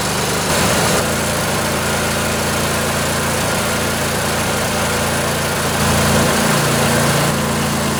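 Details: Briggs and Stratton Intek twin-cylinder 20-25 hp riding-mower engine, junkyard engine left outdoors, first start after sitting on a weak battery: steady, even idle with a smooth low putter, no knocks or misses, a little smoky; normal idle.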